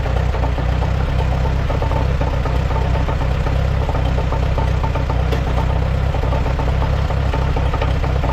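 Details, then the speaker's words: 1948 Allis-Chalmers C tractor idling in neutral with the PTO off while being hooked by its belt pulley to a feed grinder. Irregular faint knocks come through the idle; something is suspected still loose. "I think it might be a little loose yet because I can hear it Knocking"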